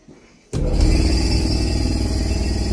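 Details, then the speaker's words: An air compressor after repair, with the contactor or relay cleaned with contact spray, starts abruptly and settles into a steady, even low rumble. It runs normally and quietly with no knocks or rattles. "it is pretty damn quiet for a compressor that size"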